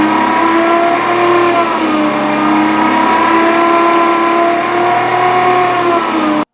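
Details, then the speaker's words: 3rd-gen Toyota 4Runner while driving: a clear tonal whine rising and falling with road speed from the rear differential gears; rear end due to be replaced. "next step is replace the rear end on this thing got a lot of gear noise actually sounds like this"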